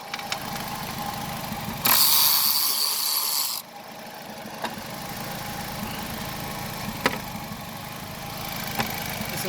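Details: 2005 Nissan Altima petrol engine idling with an uneven, stumbling beat from a misfiring cylinder, found by unplugging each cylinder one at a time to see which brings no change.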